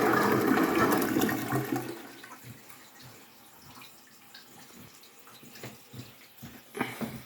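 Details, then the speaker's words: Toilet tank refilling after its fill muffler failed, before repair: loud rushing water for two seconds, then quieter trickling and splashing. "um last night at four in the morning or um muffler on our toilet quit working so i'm gonna have to that'll be today's project to fix that um so here's what it sounds like without the muffler"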